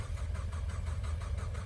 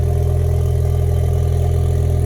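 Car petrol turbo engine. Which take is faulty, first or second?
first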